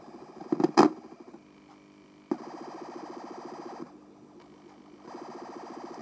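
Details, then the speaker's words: Darren Yates 1W "Champ" transistor amplifier with no input connected and volume fully up: low, steady heartbeat-like pulsing throb over a buzz, more pronounced with the input disconnected. Oscillation, possibly from the switch-mode power supply. "oh that's more pronounced now with a disconnected listen to that kind of reminds me one of those ultrasounds when you're listening to a baby's heartbeat"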